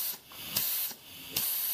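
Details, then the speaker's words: 200-R4 automatic transmission rebuild for a 1932 Ford, reverse high clutch air pressure test, applied on and off: short bursts of air hiss with a soft thump as it applies; clutch engages normally. "alright now we'll try I will try our working and here go on plunk plunk back and forth on and off"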